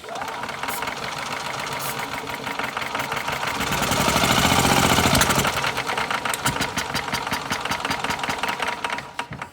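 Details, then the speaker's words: Older Yamaha golf cart engine, sat for years, carb cleaner sprayed into carburetor: catches with a backfire, runs at fast chatter, surges, then fades as fuel runs out; runs if fed fuel, fuel system suspected. "Alright, so it will run if I get some fuel to it."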